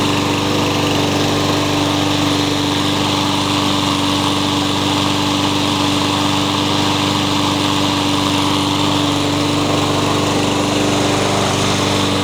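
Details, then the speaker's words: Troy-Bilt 21-inch self-propelled bagging mower, blade previously hit a railroad tie; after flywheel key replacement and reassembly, steady buzzing drone at one even pitch with no misses, knocks or surging: good runner. "so I believe we have a good runner in"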